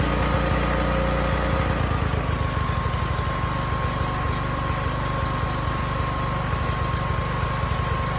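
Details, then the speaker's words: Briggs & Stratton generator repowered with Subaru EX30 (EX300D52011) engine, Mikuni clone carb running rich, no load: steady but slow, lazy drone with no power output; governor spring too weak to bring engine to speed even fully adjusted. "the spring doesn't have enough spring to bring this engine up to speed even after turning this all the way in"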